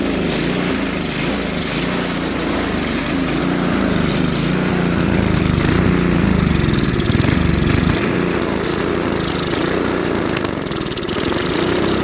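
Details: Craftsman Trac-Drive snowblower, Tecumseh Snow King 5.5 hp 195 cc engine, carb cleaned after a year's storage, leaking back gasket: runs fairly steady but speed wanders at low idle; still surging, later fixed with idle screw adjustment.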